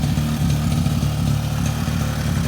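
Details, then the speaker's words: 2002 Suzuki LT-A50 quad two-stroke after top-end rebuild with Wiseco piston and carburetor adjustment, first start on first pull during break-in idling: steady, even burble with no knocks or rattles; healthy idle. "look at that they started on first pull I'm so excited and it just sounds so healthy"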